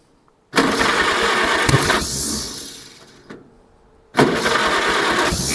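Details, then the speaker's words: 1947 Farmall Cub tractor engine, after swapping back to the old distributor cap: two bursts of the engine catching and chugging unevenly before fading; the cap swap got it running, and it still needs valve and carburetor work. "Well, it's chugging. It's a It's a better result."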